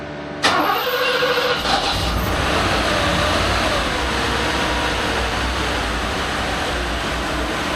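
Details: Freshly rebuilt 1987 Mercedes-Benz 560SL V8 during break-in, warm start with exhaust manifold at 201 degrees, microphone at front of engine: short crank, catches and settles to even idle without knocks; healthy.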